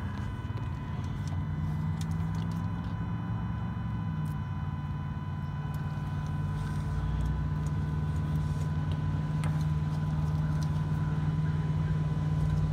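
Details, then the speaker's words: 2011 Ford F250 Powerstroke, AirDog II lift pump that would not prime, with a suspected bad relay. The pump is wired to direct 12 V, bypassing the relay, and gives a steady, even electric hum. The pump spins normally, pointing to the relay as the fault. "to see if the the air dog [Music] runs let's see I did hear it spin so let's try it"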